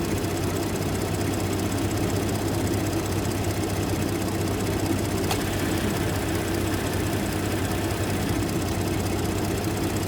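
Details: First-gen EcoBoost Ford F150 idling after replacing failed turbo coolant line fittings and refilling coolant, checking for leaks: steady smooth low hum, no misses or knocks, even idle.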